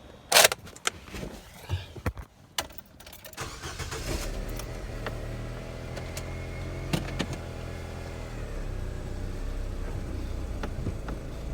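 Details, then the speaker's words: Nissan Sentra after lower control arm and ball joint replacement, started to recheck an earlier front-end knock: the engine settles into a steady idle with no knocking or clunks, and the front end is quiet. No suspension knock. "Now I would definitely be hearing and knocking and all everything right now. We're not doing any of that, so it ain't like it was."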